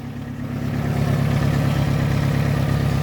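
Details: Toyota Camry 5S-FE, first start after new oil pump, rod and main bearings, no alternator or power steering pump fitted, at idle: faint regular tick about four per second; owner hopes it's an exhaust leak, not rods or mains.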